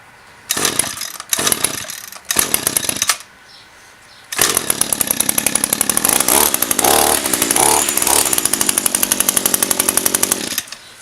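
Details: Echo SRM-225 trimmer, about 1000 commercial hours, with an aftermarket knock-off carburettor, started dead cold after primes on full choke. A couple of pulls catch, then a raspy high buzz runs steadily with slight unevenness. A worn but acceptable start.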